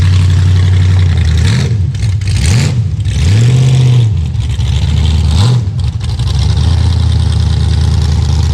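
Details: Cold start in Maryland winter of a 5.3 LS (LS1-swapped) Chevy Vega V8, a little gas given: loud idle stumbles and surges, still breaking up a bit, misfiring rough idle; owner suspects cam sensor.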